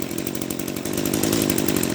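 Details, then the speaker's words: Echo SRM-210 grass trimmer two-stroke, first run after a carburetor rebuild with a Zama RB-188 kit: a rough, slow, lumpy idle that nearly stumbles between firings. Idle is set too low and the idle screw needs turning in. "my machine is running a little bit kind of funny because it's running the the idle kind of sounds like a little bit too low it's idling a little bit too low"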